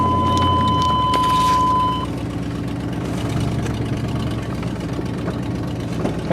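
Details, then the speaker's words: Rusty Buick LeSabre started, oil pressure shown: a brief chime, then an even, steady idle with a smooth regular beat and no knocks or misses; sounds normal and healthy, runs like a top. "yeah that sounds normal normal and healthy for a rig like this yeah yeah runs like a top"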